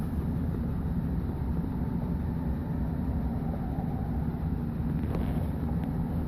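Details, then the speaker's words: 2011 Chevy Silverado 5.3L, 126,000 km, hard start after sitting 8 hours at about +12°, valve cover with built-in PCV recently replaced; deep lumpy idle that never settles, shuddering as if about to stall, clicking noise, cause unknown: rough idle. "She's idling rough now too. Oh boy. Seems like it wants to die."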